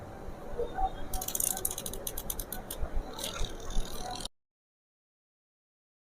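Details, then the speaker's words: Mechanical wash timer from an LG semi-automatic washing machine whose pulsator turns only one way, bench-tested with a series lamp after being wound briefly with pliers: quick irregular ticking for about four seconds, then silence. The timer runs normally. "हम देख रहे हैं कि हमारा timer चालू है और इसकी आवाज आ रही है।"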